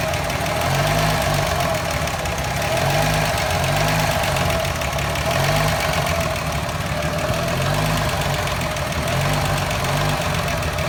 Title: Fj60 rough idle